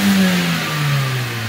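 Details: Manual car checked after driving through a flood in second gear at 2000 rpm; it showed white smoke on first warm-up and makes an air-release noise with the clutch pressed (owner suspects wet clutch). It revs up and down smoothly and evenly without stumble or miss. Normal revving.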